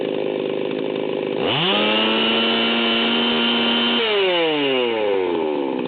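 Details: Fully assembled ported Stihl 038 Magnum chainsaw, carburetor adjustment, low-speed needle about three-eighths turn: revs to steady high scream, burbly four-stroking at full throttle, about 14,000 rpm, high-speed mixture set super rich, then winds down.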